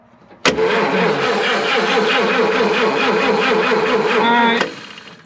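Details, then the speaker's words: 1953 Chevrolet 210 barn find, engine cranks steadily about four seconds with no firing; no spark, fairly new points found set far too tight, likely never sparked; cleaning points planned first, distributor cap looks new. "Yeah. So, I don't know how that ran before, but them points are set so tight. I don't know that they would ever I don't know they were ever sparked or whatever."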